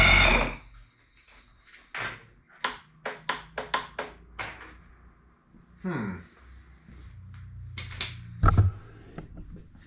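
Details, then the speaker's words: 1976 Aqua Sport bass boat, Mercury outboard, after solenoid replacement: about seven sharp clicks in under two seconds, then a couple of short, sluggish crank attempts; still seems to lack full voltage, so the owner plans to swap in an old starter. "interesting still got the same issue it did kind of kick over a little bit so it's probably a little bit better but it's almost like it's not getting full Voltage"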